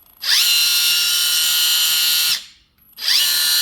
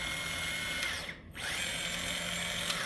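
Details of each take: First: Kabolite K961 excavator before the fix: a loud high-pitched squeal in repeating two-second bursts from the left track motor, while the right track is quiet. The squeal comes from binding under too much track tension. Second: Kabolite K961 excavator track motor, run with the track removed after a fix for loud squealing when turning. Light, steady, high-pitched hum with no squeal; sounds healthy, though the squeal previously returned once the track was refitted.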